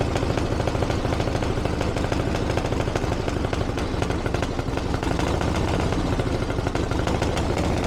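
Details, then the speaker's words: 1982 Harley-Davidson Ironhead Sportster after two years of tinkering, started on choke with timing reset; lumpy, even V-twin idle with steady low thump, no knocks or misses. Running properly, though owner feels it's slightly lean under acceleration and needs further tuning. "Happy Days I can't believe that that's fantastic that's a lot better than it's ever been probably still needs a little bit of darling and it feels a little bit lean under acceleration but we got a basic starting point now to go from"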